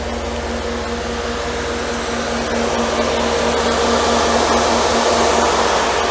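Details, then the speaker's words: Mercedes W124 auxiliary cooling fans on high speed after a long-hunted climate control fault was fixed: loud, steady, airy roar with an even hum, running normally. Low speed sounds lower. "see they are loud you should be able to hear how loud they are the low speed is different it's lower"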